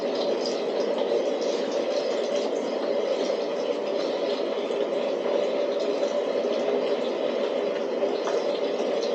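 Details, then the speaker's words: DIY waste oil burner after adjustments: steady even roar with soft bubbling rush, no pulsing or sputter; normal full stable burn. "One thing for sure, it's really, I don't know if you can hear it in there, but it's really making a roaring noise."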